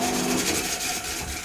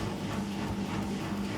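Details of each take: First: 20-plus-year-old Beko washing machine on high-speed spin, which had stopped mid-spin with a tractor-like noise; harsh, uneven rasping and scraping; technician suspects motor problems, and there are rust streaks from the bearings. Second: 20+-year-old Beko washing machine, after repair with a new magnet, pump judged acceptable, on spin: steady low motor hum, brushes running smoothly without grinding or sparking, slightly loud but normal.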